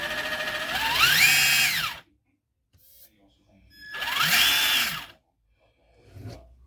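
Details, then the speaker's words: Traxxas TRX4 Bronco RC truck in high gear after greasing the portals, transmission and axles. Two short runs of clean whine rising and falling with motor speed, with no grinding or clicking. It still feels tight compared to most trucks. Normal drivetrain operation. "all right well we got her all greased up she sounds a little better but she still feels tight compared to most trucks but high gear works here"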